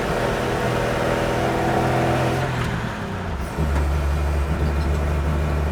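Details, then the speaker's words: Old Chevy truck after HEI distributor swap, lugging uphill under high load near wide-open throttle, kept under 3,000 rpm: labouring, stumbling drone that breaks up, cured by switching on the electric fuel pump; fuel starvation, owner believes not spark-related. "It's breaking up a bit. I'm going to turn on my electric pump. All right, it seemed to go away. Turn the pump back off. I think that one was fuel related. I don't think it was spark related."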